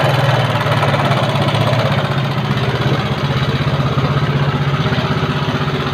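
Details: Yamaha Mio carburetor scooter with a complaint of rough engine sound. Loud, coarse idle with uneven rapid pulsing and a gravelly rattle over a low drone. Rough-running engine, cause undetermined.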